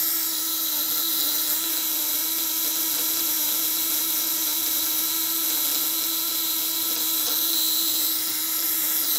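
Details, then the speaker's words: Contact-breaker (platina) fish shocker, 1 kg spool, loose setting on a used, leaking motorcycle battery: a steady, even high buzz without stutter; contact vibration safe and stable. "Nah, ini getarannya aman. Nah, getaran platinanya aman."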